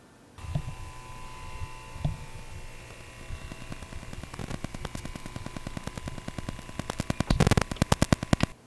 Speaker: the microphone in a really noisy emi rfi environment this mic will still pick up some clicking and popping especially with automatic cane control